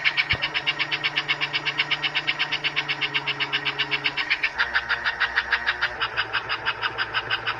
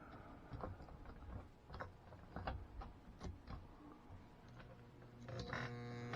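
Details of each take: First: Pre-1957 all-metal American Flyer S scale locomotive, about 70 years old, drive wheels lifted off the rail: quick even chuffing over light motor whine rising smoothly as it speeds up; running properly. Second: Pre-1957 all-metal American Flyer S scale locomotive with dirty wheels, after electronics cleaner sprayed into the motor and tender: handling clicks, then steady low electric hum with no rotation; motor stalled, owner suspects worn brushes.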